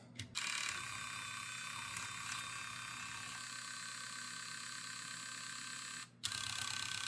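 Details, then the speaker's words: Nintendo Wii disc drive after gear realignment: a thin high-pitched whirring and grinding with an uneven rattle, pausing and restarting. A gear isn't receiving enough power. "There's a gear somewhere in here that just isn't receiving enough power."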